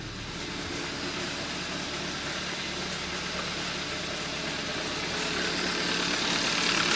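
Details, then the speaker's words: 2013 Hyundai Accent 1.6L, knock quiet cold and appearing once warm; steady knock about four a second over the warm idle, owner suspects loose timing chain or rod bearing, unconfirmed. "It have a engine knock. Thinking it could either be a loose timing chain or rod knot, which these cars are notorious known for."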